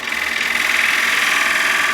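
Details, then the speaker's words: Wood lathe, cutting the inside wall of a bowl with a bowl gouge; steady cutting hiss with a fast rhythmic pulse each turn, because the bevel is being pushed too hard against the wall. "When I did that, I was pushing quite hard on that bevel against this wall. All right, understand that? This bevel is pushing."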